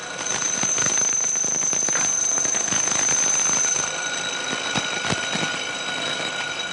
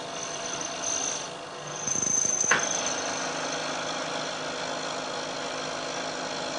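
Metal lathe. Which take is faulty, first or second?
first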